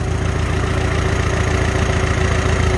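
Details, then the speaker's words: Farmall H after carburetor adjustment, idling at 450 rpm: slow, even low throb with a steady beat and no tinging or knocking; healthy settled idle. "we go right back to idle right back to 450. just sounds great"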